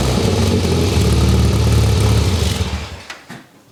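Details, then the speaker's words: Classic Mini engine, cold start, compression tested good, plugs look slightly rich: catches and runs a steady, even low rumble for a few seconds before shutoff; sounds healthy. "but I'm gonna start it up now and keep in mind the engine is still cold so you may see some condensation"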